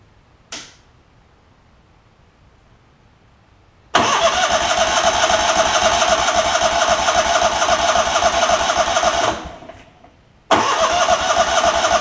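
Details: Lincoln Ranger 8 welder generator, Kohler CH20 V-twin after fuel pump, fuel line replacement and carb clean, air cleaner off: cranks briefly, catches, runs steady and even, cuts out a moment, restarts cleanly; normal running.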